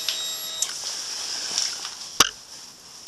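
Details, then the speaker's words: Air-cooled, fuel-injected Triumph Thruxton twin in below-zero cold, battery at 12.4 V, with the relay contacts bridged for an emergency start: a brief, thin electric hum at key-on that cuts off cleanly. The fuel pump primes normally. "So we have to turn on the ignition. You can hear the fuel pump prime."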